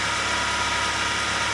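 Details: Ford Zetec Rocam engine (Fiesta/EcoSport/Ka) after replacing the timing chain kit and tappets to cure chain and tappet noise on cold start: quiet, even idle with a soft steady hiss, no ticking, rattle or chain slap; healthy.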